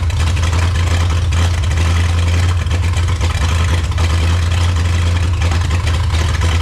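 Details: 1954 Chrysler New Yorker 331 Hemi V8 running after 50+ years in a salvage yard: deep, uneven, lumpy rumble with no tick or knock, pouring fuel when accelerating; carburetor needs rebuild, float suspected sticking, tune-up needed.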